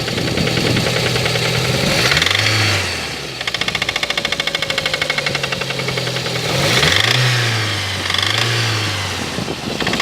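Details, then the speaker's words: Lada Kalina engine before repair: sharp metallic knocking rides over the engine, quickening as it revs up and settling back; engine knock, cause not pinned down. "Вот такое стучание у нас."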